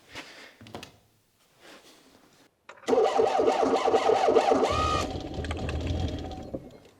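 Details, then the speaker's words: Engine started cold: catches after a few cranks and settles into a slightly uneven, ticking idle at about four beats a second, not running cleanly; owner suspects the leads and spark parts need replacing, ticking possibly from the lifters. "me it's not running completely clean which makes sense I think the leads and the spark block needs to be changed"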